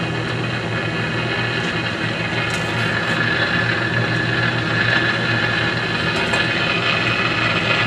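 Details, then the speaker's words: Philco 50-920 tube radio after capacitor replacement, testing: constant rushing static with faint crackles and no station. It worked earlier; owner suspects contact cleaner still drying in the tube sockets. "I'm just sort of getting some noise now"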